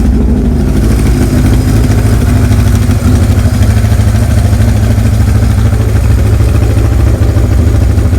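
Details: 1978 Kawasaki KZ1000A with four-into-one exhaust, estate bike, possibly original miles, cold-blooded on a cold day after brief earlier run; even steady four-cylinder burble, clean throttle blip, no knocks, ticks or misses; healthy idle.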